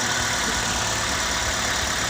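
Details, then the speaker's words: Car engine idling with an even, steady hum, no stumble or tapping, just after starting successfully on a weak (soak) battery that was revived; ignition left on about 5 minutes before cranking; normal idle. "Oke, saya akan coba starter setelah tunggu beberapa menit. Ya, mesin menyala. Ternyata berhasil."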